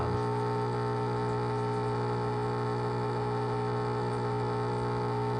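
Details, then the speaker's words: SPT SD2201 countertop dishwasher that won't drain fully, leaving water pooled in the tub: a loud, steady low buzzing hum that cuts off abruptly as the drain pump strains; possible clog or failing pump, cause unconfirmed. "And I know from experience that this doesn't sound right. The pump is loud and obnoxious, and it's clearly struggling to pump water out of the dishwasher tub."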